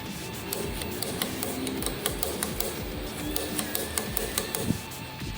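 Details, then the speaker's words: Yamaha Fazer 250 starter motor run on the bench: hum with sharp uneven clicks and clatter; brushes fine but four magnets broke and came unglued from the housing; starter replacement needed. "coisa solta aqui dentro abr para inspecionar"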